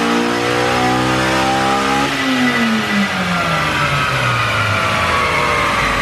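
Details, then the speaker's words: Honda Civic Si coupe, eTuner-tuned, full-throttle dyno pull: clean, strong rev climb under full load, brief dip near two seconds, then smooth rising pull; healthy engine, still slightly rich in places. "that's amazing game Wow props to the tutor on this one so I gotta say this is a real healthy one"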